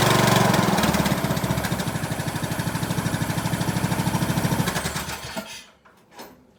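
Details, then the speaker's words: 2003 Craftsman LT2000, 18.5 hp Briggs & Stratton Intech, first start after adding gas and putting the plug in: crisp, even chuffing at about three beats a second, then a clean shutdown; runs well, needs an air filter and oil change. "That thing runs really good, man."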